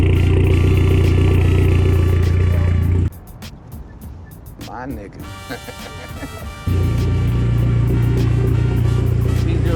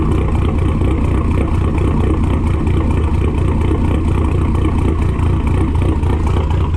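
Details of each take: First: Dodge SRT4 Neon on stock cams that threw code P0016 and had jumped timing, now retimed with codes reset and fuel trims still adjusting: smooth, steady low idle with even firing and no hunting. Normal idle. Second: SRT-4 with stock cams, engine recently swapped in from another car, throwing code P0016. Uneven, lumpy idle of about four beats a second that sounds cammed. Suspected jumped timing belt, i.e. cam timing off.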